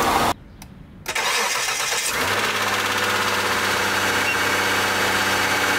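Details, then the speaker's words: Mitsubishi Galant 8, 6A13 V6, morning cold start after replacing rear-head hydraulic lifters with AJUSA (front done earlier): catches promptly, smooth steady idle, no lifter ticking that used to persist even warm; repair successful. "наутро как вы видите как вы слышите все хорошо никаких стуков компенсаторов нет процедура прошла успешно"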